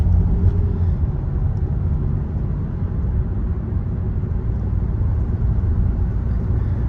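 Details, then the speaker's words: Kia Soul with intermittent misfire under load in higher gears, driving after replacing ignition coil number three: steady, even low engine rumble under load, no stumbles; running smoothly. "All right, man. Changing out coil number three seem to have done it. It uh most definitely seems to be running perfectly now."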